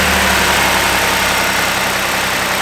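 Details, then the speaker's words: Engine starts and settles into a steady, even idle with no misfire after a new ignition coil and spark plug were fitted, done to fix a check engine light that comes on when raining; normal idle on this cylinder. "so the car started and ran fine we know there's nothing wrong with this one"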